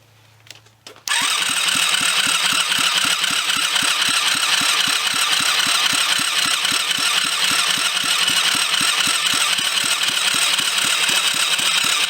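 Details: Kids' 110cc quad after full rebuild, new battery fitted: starter grinds steadily at about four compression pulses a second for ten seconds and never catches despite spark; owner unsure if immobilizer is involved.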